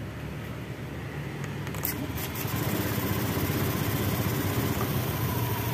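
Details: Honda Beat ESP scooter that stalled with MIL code 52 (crankshaft position sensor error) after broken CKP wiring was rejoined: steady low putter at idle, even and unbroken with no stumbles or cut-outs; normal idle after repair.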